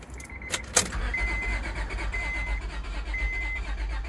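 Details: 2004 Honda Pilot 3.5L with a newly fitted aftermarket fuel pump, battery dead and jump-assisted: the starter cranks steadily with even pulses but the engine never fires; crank no start.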